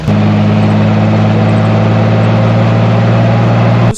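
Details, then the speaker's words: 2006 Jeep Wrangler TJ 4.0L before cat-back exhaust replacement: steady low drone with raspy puffing under load from rusted, separating exhaust with a hole at the bottom, louder on acceleration; exhaust leak. "and then you can also hear the bit of exhaust leak from there too and as soon as you accelerate you can really hear pretty good"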